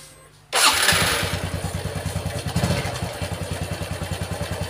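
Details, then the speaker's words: Honda Revo FI (fuel-injected) motorcycle, owner complains of rough noise: starts and idles with uneven thumping and dry crackling "kemrecek" rattle over the beat; mechanic judges by ear it is the eccentric (sentrik) — valve train clatter. "sebagai ini suara motornya kemrecek gitu kemrecek ada suara kresek-kresek nya berarti kalau kita apa ya namanya ya kita denger-denger ginilah kita dengar pakai piring mekanik ini Ini pasti suara sentrik"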